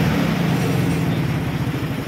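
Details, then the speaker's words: Scooter (R180) engine running with rough, pulsing low rumble, confirmed by stethoscope as a badly worn, crushed damper bearing inside; after replacing it the noise was gone. "tapos yung dumper bearing sa loob y yung nadetect kanina sa pag diagnose natin malala ang tama"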